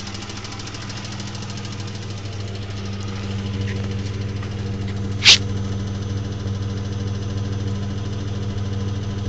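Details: 2000 Isuzu Trooper at idle after changing from Rotella T6 5W-40 to Mobil 1 15W-30: a fast, light ticking that tracks engine speed got much louder and sounds louder from underneath; owner suspects crankshaft bearings, cause unconfirmed.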